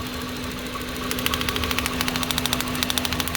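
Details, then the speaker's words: 2009 Hyundai Getz running rough: uneven idle with sharp snapping clicks about three per second. The ignition lead's spark plug boot is leaking, so the spark arcs to the plug tube instead of the plug, causing a misfire; confirmed with an incandescent test light. "that this boot is leaking so this spark is not actually making it onto the spark plug it is just touching the actual spark plug tubes"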